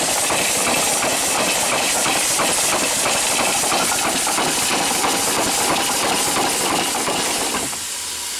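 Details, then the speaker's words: Steam engine on its first run, boiler low on pressure: a loud steady hiss of escaping steam over a soft regular chuff of about three beats a second. It runs but leaks badly from worn seals that need fixing. "so we've got a lot of seals to do and speaks to fix but we can take care of that problem"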